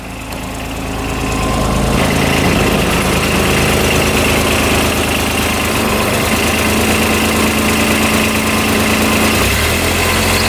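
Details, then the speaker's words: 2007 Kubota RTV900 diesel UTV on a test drive, some smoke: diesel chugging with a thin, steady high squeak over it, a slipping drive belt squealing. "Yeah, that belt is squeaking. All right, first thing we're going to do is try to fix that squeaky belt."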